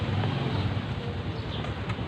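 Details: Bajaj CT 100 motorcycle after engine overhaul with original parts: low steady thrum with even pulses and no knocking or tapping under wind noise; runs smoothly.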